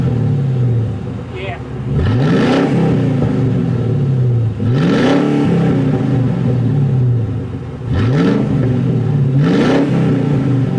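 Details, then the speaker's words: Grand Marquis with H-pipe fitted and no muffler yet: loud open exhaust with repeated revs and a deep, throaty growl dropping back between blips. Deep exhaust note without muffler. "yeah the H5 sounded a lot lot better now a little throater a little deeper a little"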